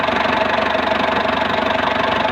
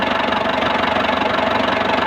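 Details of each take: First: Ford Explorer 4.0 engine, rescued for a no-crank no-start issue: steady, even idle with a quick regular pulse and no knock or miss; engine runs smoothly. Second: Engine idling with a steady fast ticking knock over it; knock present, cause not pinned down. Cause suspected, not confirmed.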